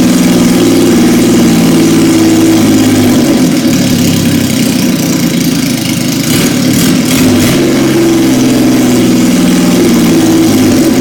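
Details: 1977 Yamaha XS750, first start in 30 years, rebuilt carbs, velocity stacks, new oil, filter, plugs, resistors and throttle cable, auxiliary fuel tank: steady, even idle with smooth throttle blips that settle cleanly; runs healthy.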